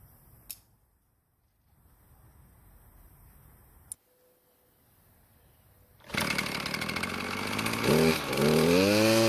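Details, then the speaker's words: Worn Poulan Pro two-stroke trimmer after turning a carburetor screw about a quarter turn and cutting thick line from over 24 to ~17 inches to reduce load: wavering hunting revs, slightly better but still rough; needs tuning under load. "well it's running just a little bit better but it's best to adjust the carburetor while trimming the grass"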